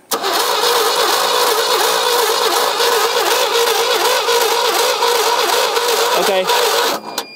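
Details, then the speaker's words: Abandoned 1975 GMC Sierra Grande with a 250 ci straight-six, cranking on the starter at a steady churn but never firing; there is no spark through the distributor, so the distributor is to be opened up next. Crank, no start. "now no spark so now we're going to tear into the distributor and see why"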